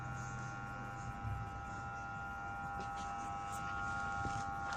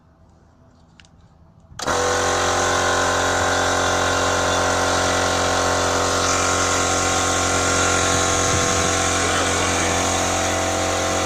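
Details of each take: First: Chinese MUXCUT air compressor hums steadily but won't run: it started only when the fan was spun, then stalled at 2 atm while humming; the 25 µF 450 V start capacitor failed. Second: MUXCUT Chinese electric piston compressor that only hummed and stalled, after replacing the failed 25 µF 450 V start capacitor: starts cleanly after a moment of quiet and runs with a steady even hum and rapid beat; normal running.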